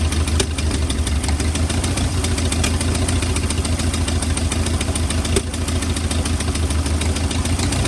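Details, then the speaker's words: 1940 or 1941 Ford truck with flathead V8, parked in woods about 50 years, cold block: low uneven chuffing idle with irregular ticks and stumbles. Rough running; owner suspects worn rings and hopes running will fix it. "a lot of times when they've they don't lock up when they're sudden I guess the Rings are just wore out in them and this one since it had all them oil them anti- oil fer things on it probably needs a set of rings but I think once she runs for a while she'll fix herself"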